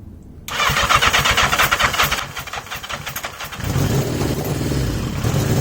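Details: 1980 Yamaha XJ650 with masking tape over the pod filters to restrict airflow: it cranks, fires, then settles into a lumpy, uneven, hunting idle. Rough idle, cause suspected but not confirmed.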